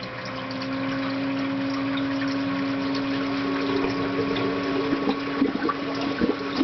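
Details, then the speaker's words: Ecotech Marine Vectra L1 aquarium return pump, new, at setting three and then turned up toward maximum: steady low-pitched hum with water splashing, audible across a quiet room and getting much louder at high output. "right now it is running on number three and you can hear the pump humming that is loud enough in this quiet room I can hear it from clear across the room but if I turn it up any more it gets really really loud I'll turn it up and let you hear it"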